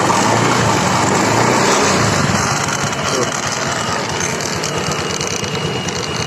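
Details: Honda Scoopy FI scooter at low revs: rough scraping rub about three times a second, sounding like a CVT fault on throttle release but caused by a stick of wood caught at the wheel; noise gone once removed.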